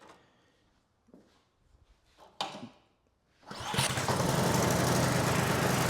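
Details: Poulan Pro (Husqvarna-made) snow blower, LCT engine, carburetor repaired, cold start with choke on and primed four times: a few weak pulls, catches at 3.5 seconds, settles into a steady even run.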